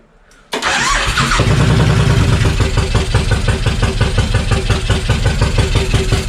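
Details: Suzuki Intruder VL1500 V-twin after sitting for years, carbs just refilled, fuel pressure good: loud lumpy idle with uneven beats about three per second, runs only on choke; carbs suspected dirty, improving with each start.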